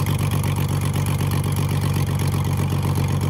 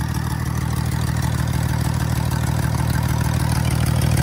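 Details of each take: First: Ford Falcon AU six, revived, on plugs showing turbo wear after the turbo manifold came off, at idle: even, steady low burble with no misses or stumbles, firing smoothly and idling perfectly. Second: Ford Falcon AU with 237,000 on it, idling rough: a lumpy, uneven thump about three beats a second before settling quieter; misfire thought to be an oil-fouled number six spark plug, with new plugs then fitted.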